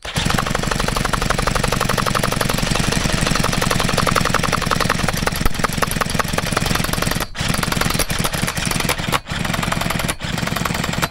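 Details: Leftover chainsaw two-stroke engine without its bar and chain, primed after its carburetor had likely dried out: rapid buzzy popping, steady for several seconds with a few brief dips near the end; engine runs fine.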